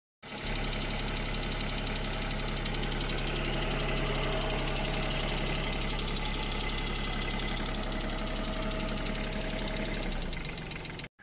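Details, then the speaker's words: Massey Ferguson 728 three-cylinder tractor diesel at idle: sharp regular clatter, about four knocks a second; may be caused by one jammed injector nozzle rather than engine or head; fix is removing and cleaning the nozzle at a pump shop. "तर 3 नौजलामधलं जर एक जरी nozzle त्याचं जाम झालं तर असा कटकट आवाज येऊन जाईल."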